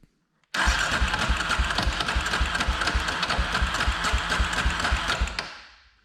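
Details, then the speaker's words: 2003 Polaris Predator 500 single cylinder during compression test after cams moved one tooth (compression now 130–135 from 110): fast uneven chatter about 220 beats a minute with a rattly top end, no catch; noise from the flywheel area. "So it's definitely making a lot of noise from like the flywheel or something."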